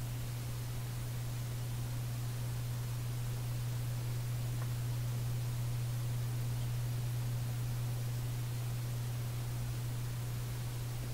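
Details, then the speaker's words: Canadian General Electric A55Z radio at power-up during capacitor replacement: deep, steady, pounding low mains hum under a faint hiss, no program audio. "a quick safety check was good oh here the hum it's a pounding"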